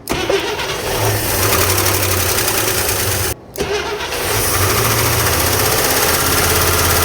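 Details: International Scout V8, started after straightening a bent solid pushrod, refitting the spark plugs and adding Marvel Mystery Oil to the carb and tank: it catches after a short crank and idles steadily on all eight cylinders, with no misses or knocks.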